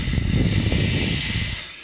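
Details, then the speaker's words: Mercedes Airmatic air strut, bellows removed, bench-tested with low-pressure shop air: loud steady hiss of air rushing out of the air bag, dying away after about a second and a half; strut won't hold pressure, completely blown out. "it should hold air very well it's not holding air it's rushing right out of the the air bag where we remove the bellows so that tells me this air strut is completely blown out"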